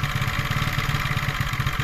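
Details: 125cc four-stroke scooter engine just after piston and ring replacement, new rocker arms, cam timing and valve adjustment, fresh 0.75 L oil: steady even low putter at idle with regular firing pulses, no knocks or rattles, idling cleanly.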